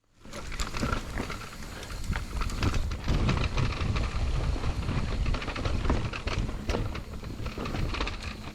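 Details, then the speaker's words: Shimano EP8-RS 60Nm mid-drive motor on an Orbea Rise e-MTB, coasting downhill without pedalling: loose, irregular clattering rattle about three knocks a second as the bike is jolted; pedal kickback spins cranks backwards, bringing motor internals into contact. "there is some pedal kick back that um makes the internal of the motor coming to contact and create this rattle noise"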